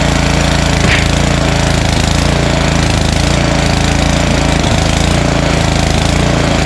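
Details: Snowblower small engine at full throttle, primed and choked, being run dry on leftover fuel before storage: loud, steady, fast chatter with no misses or surging; running smoothly.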